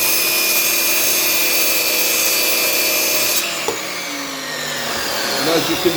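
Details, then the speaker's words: Lumberjack 1200 extractor with 1200 motor running: loud, steady rushing whoosh with high motor whine, holding even until switched off; running normally, virtually no dust left. "so what I like about it quite plain and simple is when I turn it on again it is quite loud so just bear with me a second I'm just going to turn it on there by switching [Music]"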